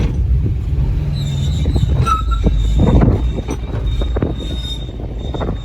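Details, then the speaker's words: Subaru Brumby test drive in 2-wheel drive after new tyres, a shifter fix and all CV shafts fitted: high thin squeak comes and goes over road rumble on the left side; suspected front rotor dust shield rubbing, unconfirmed. "a bit squeaky. So going to give it a go in 4-wheel drive. Something's squeaking on the left-hand side. It sounds a bit like the tin cover on the back of the front rotor."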